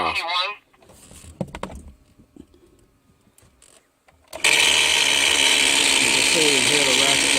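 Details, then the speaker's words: 2005 Chevy 2500HD heater blower switched on: speed 1 does nothing, speeds 2 to 4 give a loud, harsh, hissing whir with a wavering whine; failing blower motor, replaced along with the resistor and blend door actuator. "just let you hear the noise that that blower motors making which convinces me that I need a motor as well"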